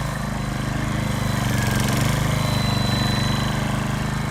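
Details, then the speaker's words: Repaired older hybrid RCLM mower, gas engine at full power forward: steady thrumming single-cylinder beat sags slightly as drive load comes on, then holds; normal RPM dip, showing the hybrid system, once unable to sustain power, now sustains it. "And what's important is for you to hear the RPMs of the gas engine going down a little bit."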